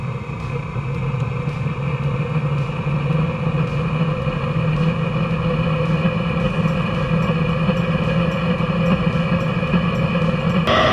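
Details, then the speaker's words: Eberspächer Hydronic 2 diesel coolant heater after repair for fault codes 12 and 15, bench-started from diagnostics without exhaust muffler: blower roar, fuel-pump ticking, then burner catches; normal start-up and running. "I mean, if it will start, I'm not sure. Let's see. Okay, I can hear the fuel pump ticking, and it looks like it's starting."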